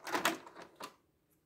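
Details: Panasonic VCR cassette loading: a few short clicks and clunks as the cassette loads, then quiet, with no squeal or squeak.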